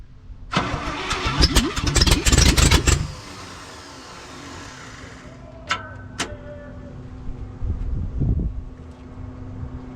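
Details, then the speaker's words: 1968 International 1100C truck with engine from a 1976 Scout II, first start in years on ether: starter whirs, engine catches and runs unevenly a few seconds then dies back; rough, a little smoky from Marvel Mystery Oil, not yet tuned. "she fired up um pretty stoked that's the first time it's fired uh inside this vehicle um a little Smokey"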